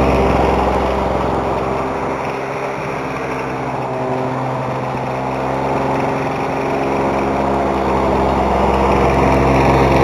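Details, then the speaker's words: Lawn Boy mower engine after carb rebuild, needle seal, reed and gasket replacement, on 32:1 mix with 89 gasoline, running: high buzzy run with a steady rapid tapping underneath; owner suspects rod knock, unconfirmed. "s to listen to it and see if the sound that I'm hearing is a rod knocking because I've went over this entire thing and tightened it and there I I haven't been able to find anything"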